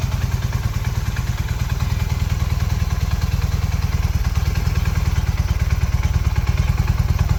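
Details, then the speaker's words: 1981 Honda CM400 twin, revived after sitting since 2000: deep, even twin-cylinder thrum with a steady low pulse, no knocks or ticks; pulls great, runs great. Normal running. "But yeah, other than that, it pulls great, runs great."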